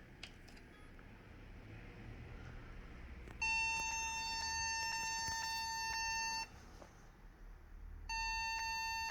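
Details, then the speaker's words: HP laptop beeps loudly and almost continuously at boot but still boots; a stuck or faulty keyboard is suspected. "today we got an hp laptop that it's beeping loudly when booting"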